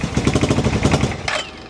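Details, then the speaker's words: Suzuki motorcycle (Intruder) brought home sketchy, first start after replacing the fuel inlet line and feeding from a bottle: rough, uneven popping bursts for about a second that die away, seemingly one cylinder firing; owner suspects no fuel, fuel pump never heard running. "but that's one cylinder. We'll choke it. And it kind of sounds like a Suzuki Savage, not an intruder."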